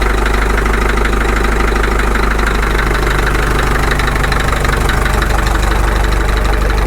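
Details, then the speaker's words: Caterpillar D2 diesel idling at low speed on its first start after full pony motor and diesel engine rebuilds: a slow, even clatter of roughly three or four beats a second over a steady rumble, a normal low idle. "that sounds good for a low idle"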